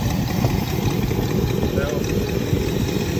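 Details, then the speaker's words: 1963 Buick Electra 225 nailhead V8 at idle after exhaust manifold gaskets fixed leaks at cylinders 2 and 4: deep, loose, boaty rumble with puffing edge; exhaust crossover on intake manifold still leaking. "Still got some noise. Obviously it sounds like a boat. So the exhaust crossover on the intake manifold is leaking, but that's pretty common on these nail heads"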